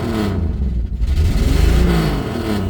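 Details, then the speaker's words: 1974 Mercury Comet, automatic, old six, given a couple of blips before shutdown: low, even note swells smoothly and settles back; revs cleanly, a runner and driver. "overall it's a runner it's a driver it's been a lot of fun all right before I shut it off guess I'll give it just a just a couple little"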